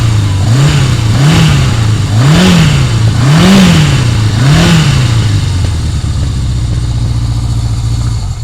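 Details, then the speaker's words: 1981 Yamaha XS1100 Special, about 5,000 miles, cold start on old gas; four-cylinder idles unevenly with rising and falling revs and an occasional stumble, a slight miss while cold that settles to idling on its own. "like I said it's a little cold blooded and it's on old gas but it'll start up here actually started better than I [Music] thought but you can hear it's missing a little"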